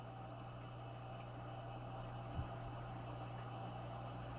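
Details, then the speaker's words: 6040 CNC 1,500 W water-cooled spindle coolant pump running washer fluid and distilled water: low steady slight electric hum with faint flow and bubbles; quiet, normal pump running. "nice and quiet see some bubbles going through and I can hear the hum every slight hum in the background"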